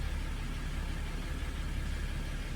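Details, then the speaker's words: Diesel Jeep Grand Cherokee WK2 started after replacing both fuel filters and priming: even, steady diesel idle with no knocks, misses or rattles; running smoothly, checking for leaks. "Okay. Now foot on the brake. Starts up. There we go. I'll just let that run for a second and we'll check for leaks underneath when we hop out."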